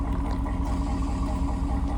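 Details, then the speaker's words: Cadillac Escalade after fitting a cheap $250 transmission, engaged in reverse: steady even low engine drone, no clunk, slip or whine; transmission engages and drives normally. "It goes in reverse. It goes in reverse. It works."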